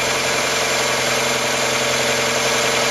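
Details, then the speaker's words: Mazda MX5 idling after an oil flush from 10W40 semi-synthetic to Mobil1 0W40 fully synthetic to cure ticking hydraulic lifters: steady, much quieter idle with only a light, fast injector tick; the lifter tick is gone. "well I can definitely say with absolute certainty that it sounds much quieter before I did this little project the moment allowed a sound you can hear is actually in the sound of the injectors"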